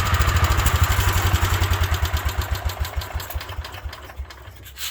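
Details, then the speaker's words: 1972 Wheel Horse Raider 12 lawn tractor single-cylinder engine, revived after 15 years in shed, governor repaired, choke used: steady low thumps about three a second, settling; runs normally, governor working, idle may need raising. "I think I need to idle it up a little bit, but the governor is now working."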